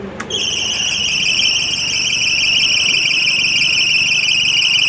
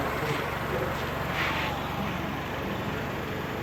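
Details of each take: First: Motor running with belts moving, with no charger connected; piercing steady whine near 3 kHz over a faint motor hum, absent when the charger is hooked up; source of the high-pitched whine undetermined. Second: Got the charger hooked up. Motor's running. Belts are moving.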